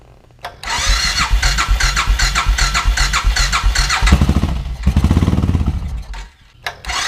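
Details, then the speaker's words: 2000 Suzuki Intruder 1400 V-twin, reported low compression, old fuel in tank: cranks and catches with an uneven stumbling beat, never settles, then dies; one cylinder header stays cold, possibly the front, suspected fuel delivery issue to that cylinder. "So I still think we have a fuel delivery issue. Let me check and see if we actually have fuel going down there. We know we have fire. It sounded like a misfire, but I put my hand on this header."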